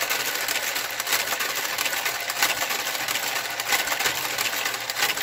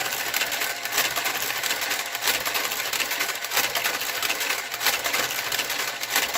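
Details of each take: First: Knitting machine garter carriage knitting a sock: steady mechanical swish with occasional sharp pops from a couple of gate pegs out of alignment. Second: Knitting machine with garter carriage knitting a sock: scratchy clacking carriage passes about every second with small pops, normal in the first three or four rows and then disappearing.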